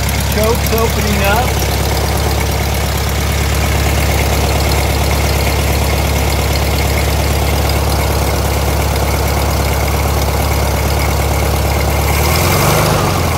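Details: VW Thing air-cooled flat-four just restarted on a newly fitted carburettor that hasn't been adjusted yet: an even, steady idle with a smooth low rumble and no knocks or misses. The idle circuit isn't behaving correctly as the choke opens.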